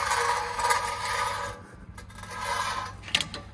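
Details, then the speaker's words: Sprinter van at about 515,000 miles, rear wheel turned by hand with handbrake off: slow patchy scraping rising and fading each rotation. Stone suspected stuck between disc and back plate; disc grooved but smooth, pads still thick. "sounds to me like something stuck between the disc and this back plate the disc has got a decent Groove in it but it's fairly smooth"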